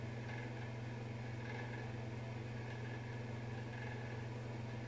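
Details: Bathroom exhaust fan: steady hum with light fluttery rattle-buzz swelling and fading about once a second, intermittent, returned days after a service visit; a deep humming had also grown louder over months.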